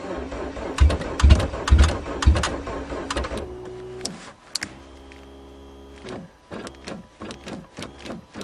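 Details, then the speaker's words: 2009 March cold start of a Geo car with stale fuel; labored cranking about two turns a second weakening and uneven on a nearly dead battery before it catches and runs; slow cranking from weak battery. "think that's all the batter's got yes oh on the last bit of battery she's running"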